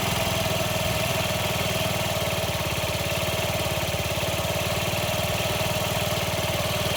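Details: Honda Ruckus single-cylinder scooter at idle after replacing a fuel pump that wouldn't pump; the idle was lowered from the old setting and now ticks over evenly and steadily with no hunting or misses. Normal idle.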